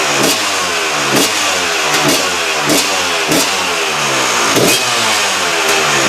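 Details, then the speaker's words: KTM two-stroke after replacing reed valve: crisp revving in repeated blips, pitch sweeping up and falling back cleanly, no misfire or stumble; sounds much better than before; normal revving. "Right, revs in the second we got. Bang, bang. She sounds so much better."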